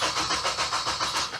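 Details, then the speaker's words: Supercharged Ecutek-mapped FN2 Honda Civic Type R K20 with new starter motor, knock sensor, thermostat and new Yuasa battery: steady rhythmic cranking with even compression pulses but no start. "It was all back together, got a new Yuasa battery on there, and at the moment it cranks over, but it won't start."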